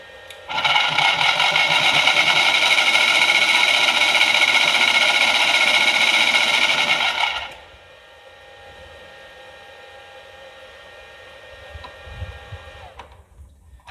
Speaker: That doesn't sound good at all. Looks like the brake hub is dragging against the bottom of the motor housing.